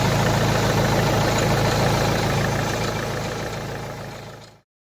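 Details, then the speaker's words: Volvo V40 after repair of abnormal noise from the auxiliary belt vibration damper pulley, idling after restart: smooth, even idle with steady low hum and no rattle or knock before clean shutdown; earlier noise gone. "ശ്രദ്ധിച്ചാൽ മതി, നമ്മൾ നേരത്തെ കേട്ടാ ആ നോയ്സൊന്നും ഇപ്പോൾ വെഹിക്കിളൊക്കെ ഉണ്ടാവില്ല."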